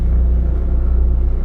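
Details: 12 kW Powertech diesel generator, Kubota V1505, in a bus, no big loads on; steady low diesel thrum with even firing pulses, no knocks or misses; idling normally, oil pressure and temperature good.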